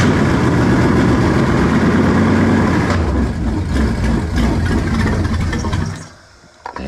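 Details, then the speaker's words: V8 engine swapped to a 2-barrel carburetor after a rebuilt used 4-barrel failed, fired with choke wide open, distributor plugs and wires still to do: steady even burble, firm low rumble, no misses; idling properly. "that sounds more like it, man."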